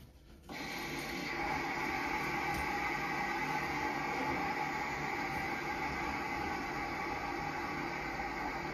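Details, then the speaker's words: Ideal Logic combi boiler with F1 low-pressure fault, two filling-loop valves opened slowly: steady, even hiss of water through the filling valve until about 1 bar; normal filling loop hiss while repressurising. "So to reressurize the boiler, simply open up that valve and do the same with this valve. But do this slowly. You'll hear a hissing noise."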